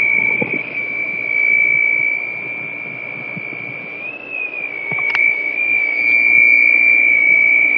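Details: Holland Pools: steady piercing high squeal drifting slightly in pitch, never stopping, over faint background; source unknown, owner unsure where it comes from.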